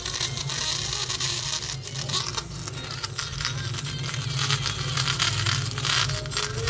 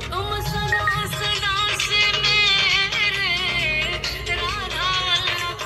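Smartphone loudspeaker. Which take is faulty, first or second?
first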